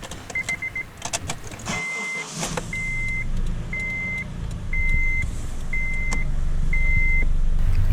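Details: Honda CR-V (2002–2006) 2.4L K24 VTEC after valve cover gasket replacement: a repeating chime beeps about once a second over the start, then a steady low engine hum settles in and builds evenly, normal start-up.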